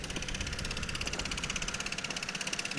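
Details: Kohler K301 single-cylinder engine on a generator that sat for years, after oil change and re-soldered wiring; heard from a distance ticking over with a steady, even beat and no misses, running normally.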